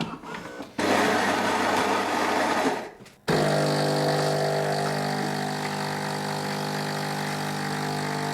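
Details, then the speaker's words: Philips 3300 superautomatic making espresso, grinder set at 2, largest bean amount, smallest output, medium heat: about two seconds of even grinder whirr, a brief pause, then a steady pump buzz while brewing; a normal, consistent grind-and-brew cycle yielding 32 g. "Now, one thing that I can praise about this machine is it always seems to give me right around 32 or 33 grams in the cup."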